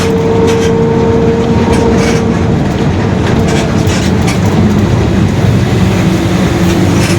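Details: 2021 Marcopolo Torino S on Mercedes-Benz OF-1721 BlueTec 5 chassis, long city bus, under way: a faint steady whine over heavy road rumble, then fading into the drive noise, the differential growling.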